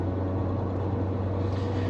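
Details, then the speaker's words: 2016 Ram 2500 HD 4x4 pickup while driving: a steady low droning, rotating growl and howl like a low-flying airplane from the front end under road noise; tires are evenly worn, so a worn wheel bearing hub assembly is suspected. "so this pickup truck has a rotating growling howling low-flying airplane noise you might be able to hear it right"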